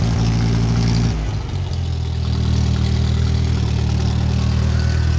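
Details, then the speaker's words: 1967 Case Construction King 530 (CK 530) tractor petrol engine running steady and even after fixing a valve that was stuck down causing a constant misfire; brief dip in speed, then smooth idle. "starter that sounds like a happier tractor"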